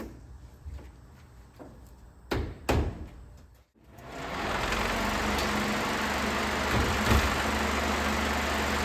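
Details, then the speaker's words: 1992 Ford F-150 302 V8 that sat over 10 years, open headers, engine cutting in and out: clunks, then a loud, steady rushing roar and low hum from the electric cooling fan, drowning out the engine. Loud fan. "You can definitely hear that fan. So that's a problem. You can't really tell if the engine's healthy or not because you can't really hear everything."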